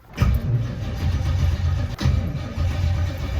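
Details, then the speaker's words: Chevrolet Camaro V8 on jumper cables after a dead battery, nearly empty fuel tank, exhaust leak noted: rough V8 catches on the first crank and settles into a lumpy idle; the dead battery was the only trouble. "camaro up and running now uh it was just a dead battery so like it's not nothing crazy"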